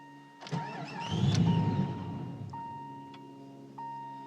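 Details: 1994 Jeep Grand Cherokee 5.2 V8, 204k miles, cold weather below ~40°F, no check engine light, IAC under a year old, new coolant temp sensor: cranks, catches with a short surge, revs sag and it stalls within two seconds; stays running with slight throttle, fine once warm.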